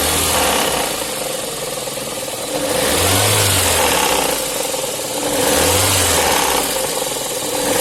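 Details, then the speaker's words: Lada VAZ 8-valve engine revving up and down with a rough, uneven clatter; the crankshaft pulley key sheared and the damper spun on the crank, causing the knock and loss of throttle response. "Ее отломала. Провернулся демпфер, как видно, вот он. Полностью повернулся. Ну и она перестала газовать. Она же и стучала."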